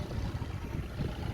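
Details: Yanmar 3GM30F sailboat inboard idling after bypassing the faulty master switch: low, even diesel rumble with steady beat, no misses or knocks; runs normally.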